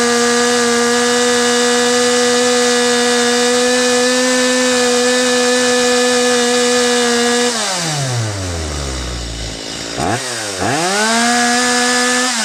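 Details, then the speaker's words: Stihl MS250 chainsaw, high-speed mixture screw turned in until the saw peaks then goes over the edge: steady high scream sags and bogs before revving back, a lean bog; screw then backed to the peak. "so same thing you could see how I turned in that high mixture screw until the saw reached its peak and started to go over the edge and bogged down"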